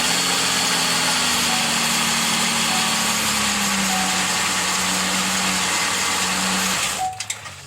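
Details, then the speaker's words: Buick Terraza van after replacing a failed starter, given a little gas to keep it running: starts strong and holds a steady, even idle with no knocks or misses until it cuts off near the end. "Sounds like it starts pretty strong."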